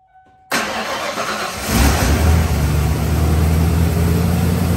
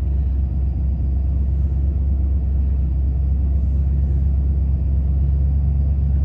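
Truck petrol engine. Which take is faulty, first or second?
second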